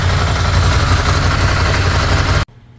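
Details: 2016 Ducati Scrambler, bought as an insurance total loss and being resurrected: loud, lumpy twin-cylinder idle with an even throb, cut off abruptly by shutdown; idles normally with no odd noises.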